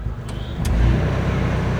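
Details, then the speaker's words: Carbureted engine that stalled with A/C on or in gear: steady low idle held at about 1000 rpm with A/C load on, no surging or dipping, after fitting an idle-up delay box ahead of the A/C compressor clutch. Normal idle with A/C on. "มาแล้วครับไม่มีกระชากหลับล่ะดูเอานะครับตัวปิดเปิดนะครับรอบนิ่งเลยนะครับ"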